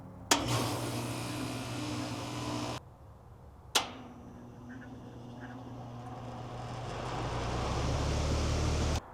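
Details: 3-ton AC condenser on off-grid solar after installing Micro-Air EasyStart Flex soft starter: kicks on with a single clean thump, then steady hum and fan rush build evenly; compressor starts smoothly without straining.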